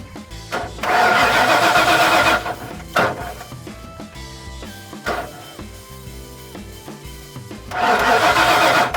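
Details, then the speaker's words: 1996 Ford F250 4x4 460 gas, OBD1, crank test with fuel pressure gauge: two bursts of steady starter cranking, never catches; zero fuel pressure instead of 75–100 psi, fuel pump suspected. "all right we got absolutely zero pressure i'm hitting the relief valve you can hear nothing so we got to set this down and something should have built up pressure"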